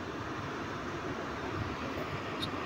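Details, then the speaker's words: APA 1200CMH air cooler after repairing its dead fan motor that would not spin, reassembled and tested: smooth, even rush of air with a steady low hum, no rattle or rubbing, working properly again; normal fan airflow. "akan nah teman-teman Ya sudah berfungsi dengan baik dan sudah enggak mati lagi"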